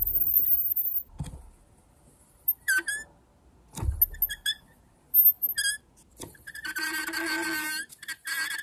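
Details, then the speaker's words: Whirlpool refrigerator condenser fan motor, removed and spun by hand, makes short screeches building to a sustained shrill squeal from worn motor bearings. Hand spinning is slower than the motor's normal running speed. "And you can hear it getting pretty obnoxious."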